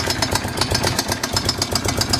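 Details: Suzuki DR 750 single at idle: sharp, regular knock about eight times a second over a lumpy beat; engine knocking, source unconfirmed.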